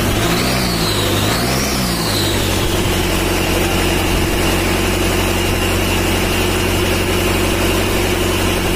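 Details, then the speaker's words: Mitsubishi Strada Triton 4D56T turbo diesel, rebuilt after overheating damage, after the injection pump was adjusted and the oil leak fixed: catches, revs briefly, then settles into an even steady diesel clatter at idle with no misses; running fine. "Udah hidup yanur dan olinya udah naik bisa cek lagi kita inrain di bawah dan kita cek Apakah ada kebocoran"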